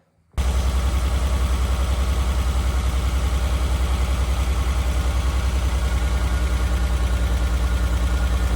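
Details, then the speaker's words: Renault Alpine GTA Turbo still idling rough: lumpy pulsing idle; injectors are unplugged one by one to test, and a sluggish one is fed 12 V to wake it. "The car seemed to be running rough at idle still, so I decided to investigate a little further to see if one of the other injectors was not functioning."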